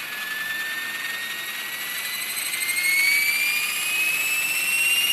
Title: Trex 500 esp bad vibration sounds on first hover